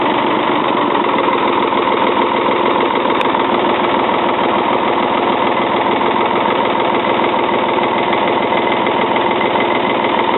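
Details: 1977 Ford 555 backhoe diesel, first start in over 2 years on old diesel with starting fluid: even clatter held at low idle while warming up, steady with no misfires or knocks; runs normally.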